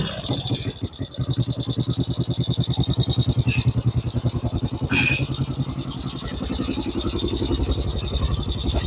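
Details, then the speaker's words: 1950 Norton Big 4 single with sidecar, cold start on a cold day, choke on: steady fast thump, slightly uneven while warming, brief rev lift; healthy cold idle on choke. "That's choked up at the minute, so we'll run it till she's a bit warmer, then we'll get that choke off. It's a cold day today though, so just wait for it to get out of it."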